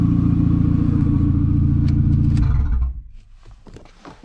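Even, steady engine note drops away cleanly at key-off, leaving only faint ticks and handling noise; runs and shuts down normally.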